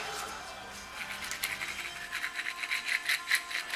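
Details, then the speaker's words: 1986 Mustang GT during engine swap and T5 install, bellhousing off: gritty, scratchy rasp pulsing as the old clutch throwout bearing is spun by hand, worn out; replaced with a heavier-duty bearing for a high-pressure clutch. "I'm gonna simply get the new throwout bearing. Take off the old one. Tell you what, this is difficult stuff, but guys, I tell you what, man. So this is shot, you can hear it."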